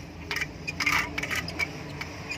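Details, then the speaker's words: Indo 230 V 50 Hz ceiling fan running with irregular metallic clicks and light rattling over a faint hum, caused by a jammed lower bearing in a loose seat; fixed without replacing the bearing. "इस तरह से कुछ वॉइस आ रही है इसमें। ये देखिए काफ़ी ज़्यादा नॉइस है।"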